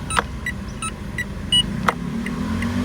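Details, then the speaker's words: 2022 Mitsubishi Xpander Sport CVT, instrument-cluster setting for turn signal sound, option two selected: light evenly spaced chime-like ticks about every third of a second over quiet cabin hum; normal selectable indicator tone. "Nah, ini yang gua demen nih, suara sein-nya nih. Suara dua dia kayak gini."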